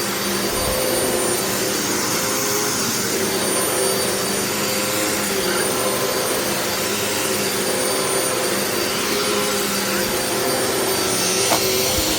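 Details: Previously rebuilt vacuum, left outside about a month and rained on, now dried out; owner feared locked-up bearings, but it gives a steady, even motor whoosh with no grinding or bearing rumble, maybe a slight brush-roll rattle: normal running.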